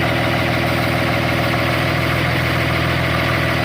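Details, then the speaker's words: Hitachi ZW220 wheel loader diesel idling, with a customer complaint of a loud knock. Rhythmic chuffing, sucking pulse about four a second as air is drawn through a big hole in the intake, a vacuum leak rather than a knock. "You hear the difference? Got a big hole right there. So there's a hole in the intake."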